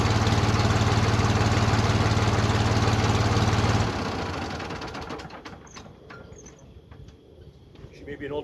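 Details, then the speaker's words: Old Ford 4500 backhoe diesel, cold start after glow plugs. Even, steady diesel clatter with a firm low beat for about four seconds, then it fades; healthy old diesel. Normal cold start. "Okay, this is a cold start on the 4500. Hope you can hear me. I'm going to, of course, turn the glow plugs on for a couple of seconds, maybe a minute or so, and then I'm going to go ahead and fire it up."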